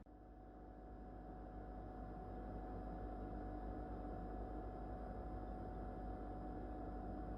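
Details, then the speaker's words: Whirlpool No Frost inverter refrigerator in its first months of use, phone held close: steady low hum with a faint constant tone and soft airflow hiss, no clicks or rattles; normal compressor running. "bueno en estos momentos está funcionando la heladera yo voy a callarme unos segunditos voy a tratar de poner el celular lo más cerca posible para que ustedes puedan apreciar si tiene realmente ruido o no"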